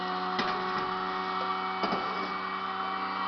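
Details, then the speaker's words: Home cream separator (écrémeuse) at speed just before milk is poured in, very loud: steady, even high-pitched whir with constant tones, no knocking or wobble; spinning smoothly; normal operation. "Je vais essayer de vous le faire, mais franchement, je vous promets rien. Puis ça fait un boucan d'enfer."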